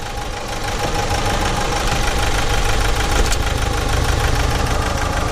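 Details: Renault Master van, about 71 plate, diesel in limp mode with turbo smoking and passing oil, boost barely above atmospheric: rough idle with an uneven intermittent knock about three per second over a low rumble; source not yet pinned down.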